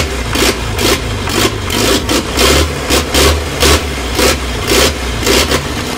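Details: Old Land Rover 2.25 diesel (3 main bearings), first real start in a decade: even idle chug a little under two beats a second, steady clatter with no odd knocks; normal idle.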